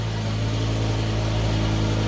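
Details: BMW E60 M5 S85 V10 first start after reassembly and coolant refill, jump-started: smooth steady hum with a firm even low note and no misses or knocks; clean idle, smoke from silicone and condensation.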